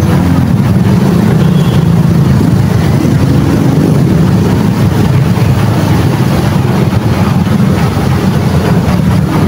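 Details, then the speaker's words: Barako 175 single-cylinder motorcycle, CDI needing constant 12 V: idle swells and sags unevenly, a breathing surge, while running without the battery connected; steadies once a battery is fitted. "kung maririnig natin mga Fr yung ganyang andar ay parang humihinga agag maikabit na natin onong Battery maiiba yan"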